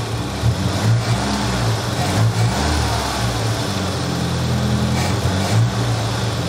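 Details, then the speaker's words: Nissan 200SX turbo, MAP sensor unplugged so it runs in limp (safe) mode: low, uneven idle with dull throb and occasional surges, no turbo whistle; limp mode from unplugged MAP. "it's running it's running like it in safe mode in limp mode because I don't have the map hooked up it always kind of runs like that"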